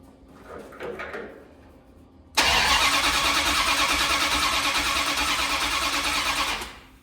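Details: 1972 Dodge D100 with a new solid roller cam and Speedmaster heads, now sparking after reseating the coil wire: steady cranking about four seconds at roughly three beats a second, never catching; the distributor is found a little off at number one.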